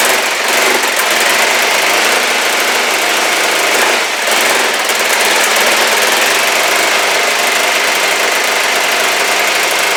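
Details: Kawasaki GPZ500S twin on fresh fuel: lumpy, unsettled fast idle with a wavering beat and a dip near four seconds; vapour from behind the carbs, owner unsure why, someone suggested timing. Rough running.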